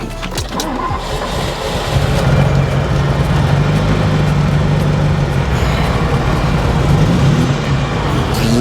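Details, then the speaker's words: Ferrari 308 V8 project that ran poorly despite new plug leads and plugs, cranked and started: lumpy, uneven low rumble at idle from a bad misfire; it has some oil pressure. "God that sounded terrible it's misfiring it's got an awful rumbling noise"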